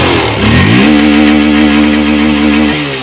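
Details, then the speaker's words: Honda CB150R first-generation (bulb lamp) single-cylinder engine before ECU remap, revved freely. It climbs quickly to a high, flat buzz, holds at the stock rev limiter of about 9,000 rpm, then drops away normally. "Ini udah agak blur ya, ini berhentinya di 9.000, kurang lebih di 9.000 sekian tadi di sini berhentinya."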